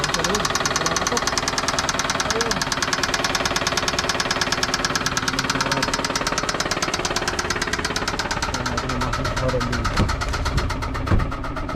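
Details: Toyota Camry VVT-i petrol engine at idle: fast, steady, hard metallic knock, a connecting rod bearing knock.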